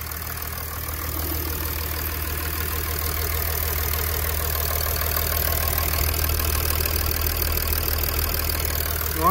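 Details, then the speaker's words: 2006 Mercedes CLK 320 3.0 V6 diesel (OM642) after repair for limp mode fault 2513-1, restarted, no faults, checking leaks: smooth even idle with steady low clatter, no misses, knocks or hunting. "Right, seems to be all dry. Alright, it's all good. Alright, so no faults to report. Fantastic. Now just idling nicely now."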